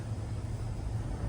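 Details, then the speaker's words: 2024 Chevrolet Silverado 2500HD Duramax, 35x12.50 tires on negative-offset wheels, after mud flap delete and adjustments, hot day: low steady engine rumble creeping forward at full steering lock, no scraping. No tire rubbing at full lock. "All right. I'm on the dash, crank all the way. No noise."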